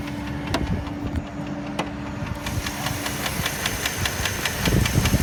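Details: 2005/2006 Dodge Durango 4WD, 4.7 L V8, 154,000 miles, ex-police auction, idling with hood open: uneven knock/tick about two or three a second, source unknown; mechanic says it may be drivable a long time.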